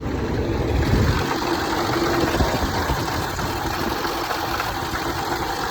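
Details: Land Rover 5.0 or 5.0 supercharged V8 at startup: loud, fast, uneven clattering rattle over the idle like loose metal; worn timing chains and guides.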